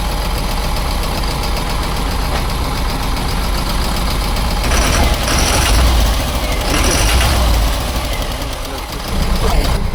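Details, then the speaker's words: JAC N80 truck with Cummins ISF 3.8 diesel, revved: rough knock from a dead cylinder one, its rocker lying loose so exhaust valves never opened; knock worse cold, reduced after warm-up, heavy smoke. "Ребята а вот и стук вот рокер просто лежит тут рядом на первом цилиндре отсутствует"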